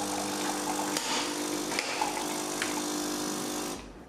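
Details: Philips LatteGo coffee machine during a coffee brew test after repair: a steady pump hum with a faint tone and light rattles runs evenly, then fades; the brew pump delivers normally and coffee comes out.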